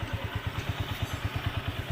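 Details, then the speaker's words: Honda CG125 running after repair. A dangerous noise had suggested the engine needed opening, but the cause was a broken rocker support that was welded back. An even idle thump at about nine beats a second with no tapping between beats: the sound is now fine. "تو گاڑی ہماری okay ہو گئی ہے. تو اب صحیح ہے آپ کی گاڑی کا ساؤنڈ."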